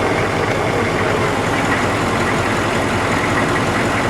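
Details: HMMWV Humvee diesel at idle after the start box finished cycling the glow plugs and the wait light went out: loud, even diesel clatter with no misses or surging, running smoothly.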